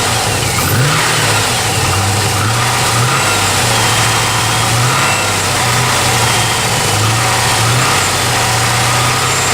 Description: G8 engine knock